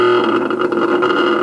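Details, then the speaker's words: Ceiling fan powered at each speed: a steady electrical buzz as the rotor tries to turn but doesn't spin. The motor fails to start due to a failed start capacitor. "just buzzing it is just buzzing it's not really doing anything he's trying to turn trying to rotate but mostly it's just buzzing"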